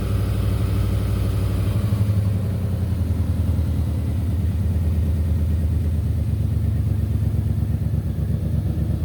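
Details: Ford/Lincoln 4.6L 32V Intech V8 first start after repairing a blown-out spark plug with a threaded insert and red Loctite, cured before firing; smooth, even low rumble with a steady firing beat, no misses or ticks; runs normally.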